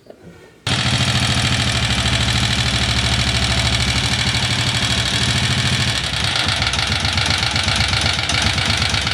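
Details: Honda CG 125 single-cylinder motorcycle engine idling unevenly before repair, with fast, sharp metallic tapping loudest at the top end.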